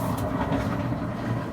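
Even, low tumbling rumble with no scraping, squeal or knocking; the dryer is running smoothly.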